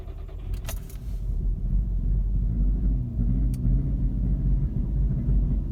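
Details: VW Mk6 GTI rough idle and stalling on restart after being driven to operating temperature and shut off for about 15–20 minutes; after a key rattle the engine settles into an uneven, lumpy low rumble that wavers instead of holding steady. Cause unknown.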